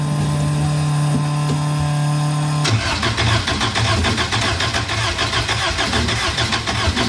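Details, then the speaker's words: Elva Courier Mark III barn-find race car, first start attempt after sitting with mice in the cooling system: starter whirs under three seconds, engine catches and runs lumpy and uneven; tachometer not working. "starts one and two tachometer is not working fuel gauge probably not working but runs sounds pretty neat"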